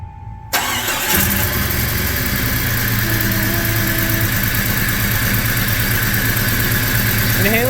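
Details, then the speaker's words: 1996 Jeep Cherokee after new timing chain, harmonic balancer and distributor turned 180 degrees: cranks, catches and settles into an even, steady idle with no stumble or shake, no check engine light. "look it's not vibrating like crazy come on sounds like it's happy again"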